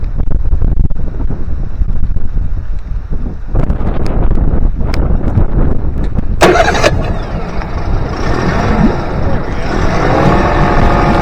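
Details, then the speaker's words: Honda BF25A 25hp four-stroke three-cylinder outboard after a fuel system overhaul, with idle mixture screws set before carb synchronization: it starts and settles into an even low burble with steady pitch, though the idle may be set slightly high. Normal idle. "Insane. Sounds pretty good."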